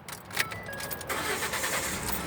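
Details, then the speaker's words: 2012 Ford F150 with a no-start problem, restarted after the fuse was put back in: brief crank, then the engine catches cleanly and holds a steady, even idle; starts normally, confirming the fuse as the problem. "the engine is running so you know that is the problem now go ahead and fix it"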